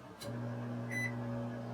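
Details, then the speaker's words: Sole elliptical, incline button wiring bridged at the handlebar with a bread tie: a motor starts and holds a steady low hum with no grinding or stalling, and the incline moves up then down. Wiring is good up to the console. "you can hear the incline working alright then we switch the other side you can climb going down so we know the wire is good from here up to the console"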